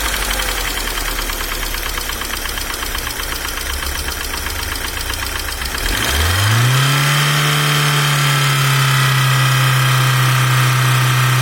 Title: Стук гидрокомпенсаторов не зависит от давления масла.